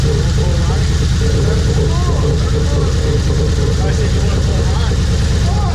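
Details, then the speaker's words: Chevrolet HHR turbo build on first start of the fresh engine, with many codes mostly from a cylinder 4 misfire because that coil was not plugged in fully: lumpy idle, a stumble about twice a second over a deep exhaust beat. "So as you notice, once we got that car started, we had a bunch of codes. The majority of them was actually due to a misfire in cylinder 4. That was only because we didn't plug that coil in all the way."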